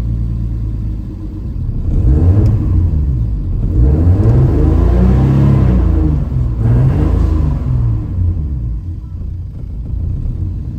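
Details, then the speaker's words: Turbo M50 engine in a BMW E30, newly fixed crank-no-start, warming up: revs climb, fall and stumble with hesitation on throttle; owner suspects a vacuum leak, also noted possible knocking; unconfirmed. "why is it when I give a gas it chokes up the vacuum leak that little hesitation on giving it throttle"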